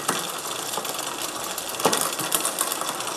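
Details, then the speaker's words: MTB/road bike rear derailleur being shifted toward the third-smallest cog: irregular clicking and rattling as the chain jumps wildly across cogs instead of settling; rear derailleur cable tension out of adjustment. "wir schalten also ah hier man hört schon es klappert und schaltet wild hin und her eigentlich wollte ich jetzt auf dem dritten Ritzel von unten sein aber es springt einfach wie wild"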